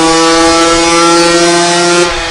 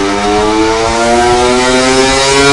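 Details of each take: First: 2021 Gas Gas EC300 two-stroke on the dyno in a dented vs new stock pipe test: crisp, steady high-revving howl held evenly at full throttle, no misfire; dented pipe made 37.83 hp versus 41.18 hp with a new stock pipe. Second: 2021 Gas Gas EC300 two-stroke on a dyno at full load with a dented stock expansion chamber: buzz climbing steadily, sound turning flat, tinny pinging like a tin roof each revolution; dents cut torque and top-end rev, 37.83 hp versus 41.18 hp with a new pipe.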